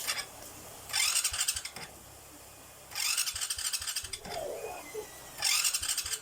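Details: Repeated short cranking bursts, each a harsh high-pitched grinding whir with no engine catching; noisy starter, owner plans to apply grease as the fix, cause not confirmed.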